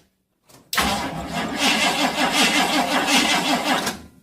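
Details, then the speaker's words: Chevy whose starter would not stop cranking, after a remote solenoid fix on the S terminal, with a somewhat flat battery. The starter cranks evenly for about three seconds and then cuts off cleanly, so the starter now works normally. "okay the battery is a bit flat but we'll turn it over and that works"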